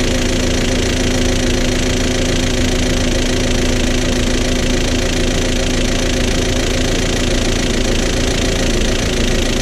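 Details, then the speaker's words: VW Jetta wagon that broke down within ten minutes of a buyer's test drive, now smoking from the tailpipe: loud rough engine with fast uneven top-end knocking, about two per second. Owner doubts the timing jumped and suspects an oil-passage blockage. "so the good news is I don't think the engine jumped I'm feel like it's almost like there's a blockage and the oil passages somewhere I don't know because like the top end makes a lot of noise"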